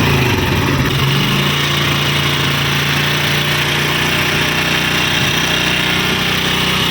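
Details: Honda CD 70 single-cylinder motorcycle engine idling with a busy metallic rattle over the low thrum; engine noise at idle, heard before repair.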